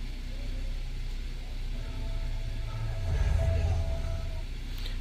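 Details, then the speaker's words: 2020 Acura RDX after TSB 20-031 speaker repair, engine idling with radio playing faintly: speakers now clean with no crackling or popping, which previously began as soon as the car was started. "no more cracking I'm going to I'm going to change the radio station cuz I don't want any music playing"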